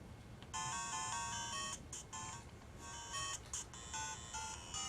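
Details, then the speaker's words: Game Boy Advance with its broken speaker replaced by a DS Lite speaker, playing Tetris: clear, bright game music with crisp tones and no buzz or crackle; the new speaker sounds clean and healthy. "Sounds pretty good."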